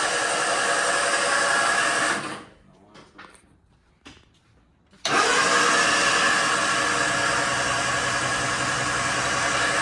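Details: MG Midget under full restoration, first crank after wiring with fuel pump working: steady, fast even starter cranking around two and a half beats a second, pause, then cranking again; builds about 60 oil pressure, healthy starter.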